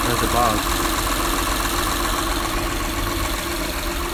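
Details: 2008 Honda Accord 3.5 V6 at steady idle, phone held closer to the engine: light, fairly quick ticking rattle, said to worsen on throttle; suspected valve train rattle from loose valve clearance needing adjustment around 100,000–120,000 miles.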